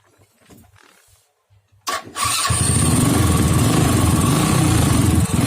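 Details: Honda Astrea Grand motorcycle after swapping the faulty CDI that caused its ignition and electric-start problem: starter churns briefly, engine catches cleanly and settles into a steady, even single-cylinder idle; healthy electric start.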